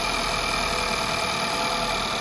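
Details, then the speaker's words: 2011 VW Polo MK5 1.2 TSI (CBZA), about 100,000 km, first start after replacing the timing chain and crank sprocket: a smooth, even idle with no rattle or slap. It runs healthy. "fire no issues running very smooth very nice"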